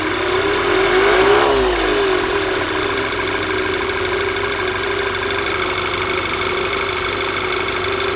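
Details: VW Tiguan engine at steady idle with a light, fairly regular knock about three or four times a second underneath; the cause of the knocking has not been identified.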